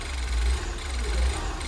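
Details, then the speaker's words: Fire-damaged Ford Fiesta ST 215 during rebuild, with much still disconnected: low idle swelling and sagging about twice in two seconds, plus a slight tick. The idle is hunting, cause not yet known. "it's hunting yeah but it's still a lot disconnected [Music] it really does there's a little bit of hunt in there"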